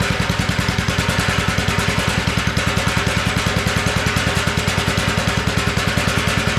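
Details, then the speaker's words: Abandoned garden tiller, first run on two-cycle gas while leaking fuel: steady thumping at about three firings a second with an uneven beat. It runs and revs only on choke, a sign of a clogged carburetor. "that carburetor needs to be cleaned up that's a sure sign when you you can rev it up but it only revs up on choke and that's a sign that carburetor is clogged up and it needs to be cleaned up"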